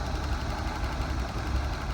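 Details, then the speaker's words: Nissan 280ZX turbo drag car just started on old gas, still smoking heavily: lumpy, uneven low idle with irregular stumbles; owners think it runs on about 5 cylinders, maybe 4, and are burning out the old gas. "No, I think we're running on about 5 cylinders, maybe 4. Just want to burn some of the old gas out."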